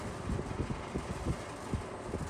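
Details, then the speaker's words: Vintage box fan on low, in a comparison with a Lasko B20725. Fan hum with irregular soft creaks and ticks as the grille moves around. Grille rattle from flexing side supports; a second unit of the owner's does the same. "It's really that grill that's moving around. It's like there's flex in the supports on the side of the grill."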